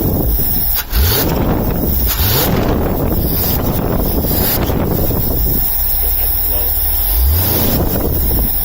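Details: 1978 Scout II 345 V8 with Holley 2210 carb, after the off-idle stall fix (power valve piston vacuum leak blocked, jets drilled to 0.041): a low, steady rumble settles into an even idle without stumbling or dying, with a couple of nearby knocks. It is a normal start and idle.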